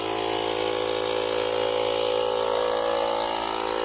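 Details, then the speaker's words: Profiline booster's built-in compressor inflating a 215/65 R17 tyre from zero to a set 2.2 bar: steady buzzing drone with a fast even pulse around 220 per minute, no faltering; normal inflator operation. "відповідно компресор починає качати"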